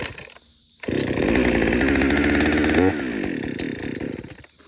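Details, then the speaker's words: Husqvarna 562XP chainsaw, after the shop reflashed its software for dying when hot and stumbling, warm start after a lunch break, pumped and pulled on fast idle: catches and holds a steady fast idle, then drops smoothly to a clean idle; normal warm start. "in fact let's go ahead and just try to warm start this real quick I'm not going to cut I'm just going to warm start it"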